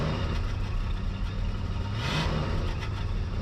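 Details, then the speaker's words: 1979 Lincoln Continental revived after six years parked, with replacement starter, new fuel pump and swapped Dura Spark ignition box: deep steady rumble with a smooth mid-clip rev, no misses or knocks; sounds good, running healthy. "A, she sounds good. Brakes feel good."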